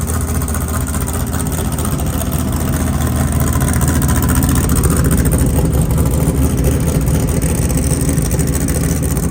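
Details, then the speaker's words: Off-road race car after replacing a worn harmonic balancer whose belt grooves were flattened: the engine runs with a deep, even drone and no belt squeak or chirp, the first time since it was bought. "That's the first time this car has not squeaked. It's squeaked since the day we bought it. And it was that harmonic balancer."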